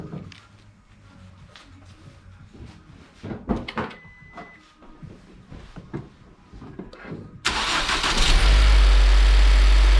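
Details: Ford Focus III ST 2.0 EcoBoost 250 hp, brought in for low compression from a damaged piston, started after repair: quiet shuffling, then the engine catches at once and holds a loud, steady idle with no misfire; healthy.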